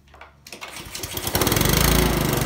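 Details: Honda lawnmower after a tune-up: it catches after a couple of pulls and settles into a steady, even chatter with no misses; the engine runs smoothly.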